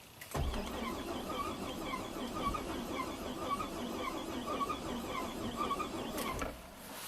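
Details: 2007 Buick Rainier, 4.2L inline-six replacement engine from a 2008 Chevy Trailblazer, 175,000 miles, crank-no-start: starter spins evenly about six seconds with an odd whirring note but never fires; a PCM connector was found not properly plugged in.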